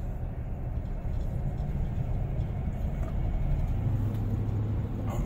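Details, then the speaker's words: 2015 Chevrolet Silverado 5.3L driving with check engine light blinking and traction control light on: deep uneven rumble with loose rattling, loping on takeoff and slamming into first when stopping; owner suspects fouled cylinder or knock. "I got my check engine light on and the traction control is on and it's riding running real rough almost like a the cylinder fouled out"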